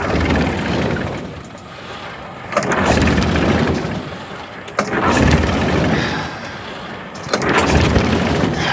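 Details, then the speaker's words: Homemade mini Jenny JN4 WW1 replica aircraft engine unstarted for 13 years, switches on, prop hand-swung: three slow separate pulls about every 2.5 s, each a brief rush that dies away; never catches, fails to start. "I think it kind of sounds like it wants to good rock tired already and clear prop nothing okay I don't even know if I'm doing this right"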